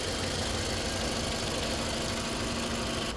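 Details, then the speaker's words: 2018 Toyota RAV4, 139,959 miles, pre-purchase inspection, recorded under the hood while running: smooth even engine drone with no knocks, ticks or squeals, no smoke; engine sounds good. "The vehicle's currently running. Engine sounds good."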